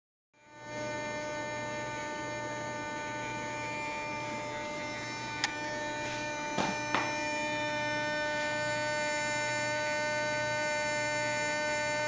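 A steady electrical hum with a fine buzzy edge and a few short clicks; the receiver's door motor is humming, cause unclear.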